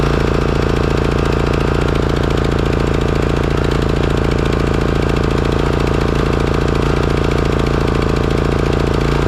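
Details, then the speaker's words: Craftsman riding mower engine running steadily at fast idle, no surging, after replacing the completely clogged Walbro carburetor; before, it surged heavily after 20–30 minutes of mowing until it shut down. "okay well it looks like it was the carburetor all along if you recall the condition of this carburetor when i pulled it out"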